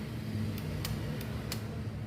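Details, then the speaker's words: Microwave-board relay coil energised during a bench test: a few crisp, light clicks over faint street hum as the relay pulls in, showing normal operation. "Aquele barulhinho conhecido que os circuitos fazem quando o relé arma ele, né?"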